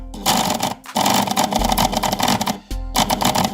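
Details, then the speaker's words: Braun MQ-500 hand (stick) blender with a brushed motor, previously dead, freed by turning the shaft a few turns with pliers; it runs with a crackly, labouring whine in uneven bursts, sparking inside and giving off a strange smell, on turbo; the motor bearing is seized and turns very stiffly. "Şu anda acayip koku var. Bu daha önce hiç çalışmıyordu. Bunu nasıl çalıştırmayı başardım? Şu arka tarafındaki mil boşluğundan pense yardımıyla hareket ettirdim. E bir iki tur çevirdim ama çok zor dönüyor."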